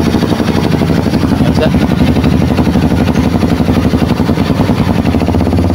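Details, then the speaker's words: Kawasaki KLX 230 that would not start, idling during warm-up after troubleshooting, with the fuel pump now working. Even, steady thumping idle with no misses, knocks or rattles; sounds healthy. "start natin na siya umaandar na siya good na siya yung kx 2 na ginawa natin"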